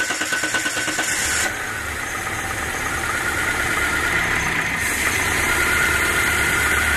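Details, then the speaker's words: Renault Megane 1 2.0 engine, oil-fouled plugs and burning oil: cranks, catches and settles to an uneven, lumpy idle with shaking; owner reports vibration, idle fluctuation and number 2 spark plug not firing, suggesting a dead-cylinder misfire. "Titreme sorunu, 2 numaralı buji çalışmıyor."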